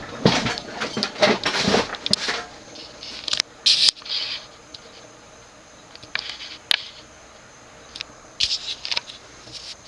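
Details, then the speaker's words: Early-1920s Century 36" antique ceiling fan, model CF-36/283, oil-bath pancake motor, 3-speed: irregular dry clunks and ticks, about two a second, while coasting down after switch-off; very fast spin-down, bearings pitted and worn, needs new thrust bearing. "you can hear the clunkiness of the bearings they're definitely pitted definitely worn but hey that's what fascinel is for yep very fast spin down time definitely needs a new thrust bearing"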